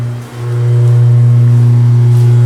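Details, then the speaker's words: Log-splitter-converted forging press (25-ton County Line) hydraulic pump, ram moving about four inches per second: loud steady low drone holding constant; very noisy pump, owner plans trying slower motor. "but this damn hydraulic pump is so freakin noisy so I'm thinking of maybe try one of them other motors out one of the slower ones which will slow down the speed of the RAM"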